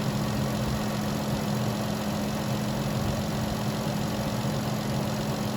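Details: Vehicle after no-crank no-start call, fixed by tightening loose battery terminals on new battery, in -10 cold: steady even idle drone, constant low tone, no misses or knocks; charging at about 14 volts.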